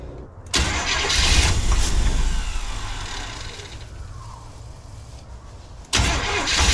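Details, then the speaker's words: 1986 Chevy G20 van after sitting 5 years, first start once spark was restored, running on its own without ether: loud, rough, uneven exhaust roar; exhaust likely needs a full rebuild. "Probably gonna have to rebuild the entire exhaust on the thing, or just go down and take it to a shop."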